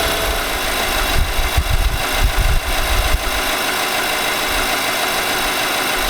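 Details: 2018 Nissan Armada SL 5.6L V8, about 38,000 miles, at idle: steady drone with irregular low thumps for a couple of seconds; engine knock of unknown cause, possibly normal, with TSB NTB19-057 cited.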